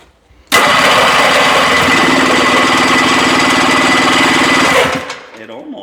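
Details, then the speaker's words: 1974 Johnson 440 snowmobile, 309 original miles, sat for decades, choke on, primer broken, starting spray, throttle wide open: steady fast electric-start cranking about four seconds with no catch; not pumping fuel, likely flooded. "We're definitely not pumping any fuel. I think she's flooded, Jim. >> I think it is, too."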